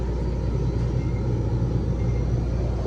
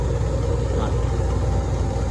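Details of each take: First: Electro Freeze soft-serve machine with remote condenser, new install, freeze tapped: heavy low drone with rough beating hum from a three-phase compressor phased wrong, beater spinning counterclockwise; fix is reversing any two power legs. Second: Electro Freeze soft-serve machine with remote condenser, being refilled with sanitizer after cleaning and lubing: steady, even low hum with no knocks or surging as the mix pump fills the barrel, stops at pressure, restarts on draw; normal.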